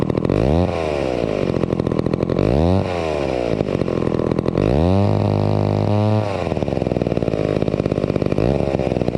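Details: Vintage McCulloch 250 chainsaw after restoration, running: the two-stroke snarls up and drops back with crisp, even throttle blips, then settles to a steady idle. It purred along and ran fairly well. Normal running.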